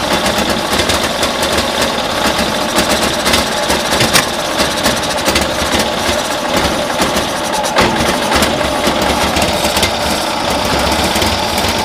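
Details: 1972 Cushman Truckster pickup twin, new carburetor and vacuum manifold fitted, same issue: ragged uneven beat with stumbling exhaust pops, misfiring as rpm increases; idles better now; spark then compression to be checked, owner suspects timing.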